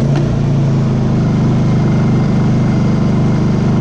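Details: Honda EU2000i generator that had been surging at idle, after repair: engine idles at an even, steady pace with no hunting or surging.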